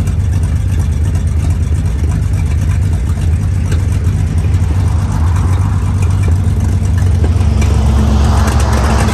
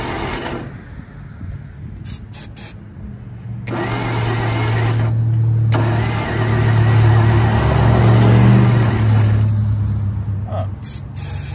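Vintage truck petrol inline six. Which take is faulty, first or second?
second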